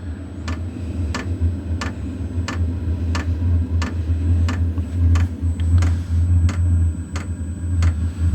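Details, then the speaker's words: Wippro 8 kW diesel heater in a shop bus, startup with the glow plug heating, about 118 W drawn: low fan hum slowly building with fuel pump ticks about every two-thirds of a second, pushing air; normal startup. "you can kind of hear it starting to ramp up it is pushing some air out"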